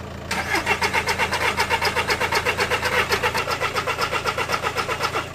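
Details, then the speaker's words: TDI 114 hp diesel van just after a gearbox change, with the turbo wastegate removed and the pump valve altered: steady starter cranking at about four compression pulses a second for five seconds, never catching. It cranks but won't start; not diagnosed. "T'as bien si Achille? Démarre, faut qu'on le démarre. Ah pété! On démarrera pas."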